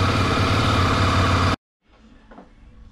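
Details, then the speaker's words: 2006 Honda CBF 250, about 44–46 thousand mileage, originally ticking. Tensioner refitted tight, timing marks aligned. Warming up, it idles with an even single-cylinder beat and no tapping or knocking, then shuts off: healthy. "CBFka po testach. pali ładnie. Nic nie stuka, nic nie stuka."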